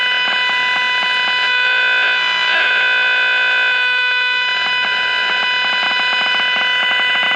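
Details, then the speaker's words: Packard Bell 35 AM tube radio: steady high squeal, several whistling tones and rapid buzzy ticking, no station. Strong injected IF signal gets nothing through; coils and tubes check good. Squealing oscillation, cause not found. "huh this radio is a trip this radio is just it's weird it sounds like there's some activity"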